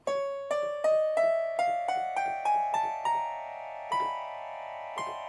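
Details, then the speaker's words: Korg M1 synthesizer after its bad RAM chips were replaced to cure garbled noise: each struck note keeps ringing under the next, piling into a rising, endless drone. An upper octave of keys is stuck on sustain, cause not yet known. "It's kind of like a really really bad horror movie. Um I don't know what's going on there. That is a unique problem I've not seen."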